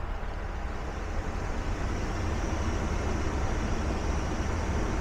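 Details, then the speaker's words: 2008 Ram 1500 V8, complaint of front hum while driving, held at about 2,000 rpm with pedal depressor: steady droning hum with grinding edge, louder at raised rpm; belt-driven accessory suspected, not confirmed. "Alright, so the noise is a little bit louder, and what I'm going to do is listen with a stethoscope on the case of the alternator, then probably pull the belt loose and spin all the bearings too."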